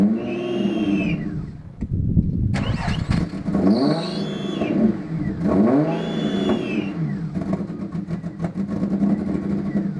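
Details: Ford Probe KLZE V6 petrol engine starting and revving unevenly with a stumbling note: misfire caused by fouled spark plugs.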